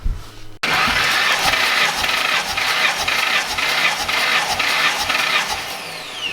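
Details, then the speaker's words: 2007 Ford GT500 with VMP Gen3R supercharger on a stock engine, restarted after a dyno run smoked from the breather: a quick start, then a lively idle with a steady pulse about twice a second and strong hiss; it runs fine. "good yeah so far so good good start it up and runs fine"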